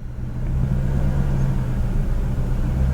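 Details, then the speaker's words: BMW E39 540i 4.4 V8 after fixing low-rpm surging, light throttle with the engine not fully up to temperature: even, low drone holding steady with only a tiny rise and fall; no more surging. "I mean it's going up and down a tiny tiny tiny bit but it's nothing like it was"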